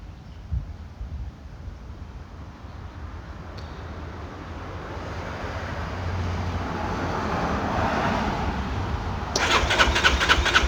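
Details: Piaggio MP3 500 scooter that won't start: a steady starter churn at about four beats a second for ten seconds with no catch or firing; it cranks but won't start.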